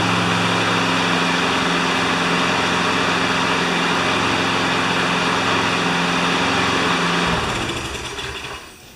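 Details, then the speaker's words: John Deere JS25 walk-behind mower after engine swap from a Toro: small single-cylinder runs smooth and even with steady tone, then throttles down, mower drives forward; normal running. "I'd say that's pretty successful it even goes forward"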